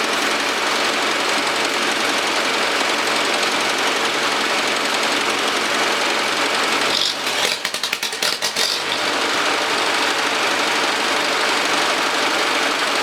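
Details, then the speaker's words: Ferguson TO-30 tractor at about 20–25 hours after rebuild, after head bolt re-torque and valve lash adjustment: steady running, previous tick gone, brief sputter on throttle that owner attributes to a lean mixture. "So, uh, it sounds like it runs a lot better. I I don't hear that tick that I had."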